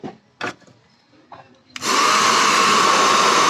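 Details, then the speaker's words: Handheld hair dryer, repaired after not heating (blowing air only; broken heating filament coil, damaged sections removed and wire rerouted), on test after the repair: brief handling knocks, then a steady even whoosh with a clear fan tone; it heats again, normal running. "Gumana guys uminit uminit uminit guys gumana guys gumana mainit na"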